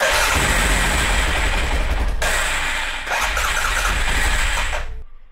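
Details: 2011 Arctic Cat 700 EFI quad with hard starting and unstable idle, pump already replaced, fault codes for TPS and servo: catches, runs unevenly a few seconds, then dies; timing was also found misadjusted.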